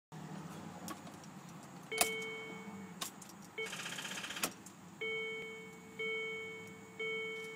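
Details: Land Rover Discovery II won't start: key-on chimes repeat with sharp single clicks, no cranking or firing; owner unsure whether weak battery or starter problem.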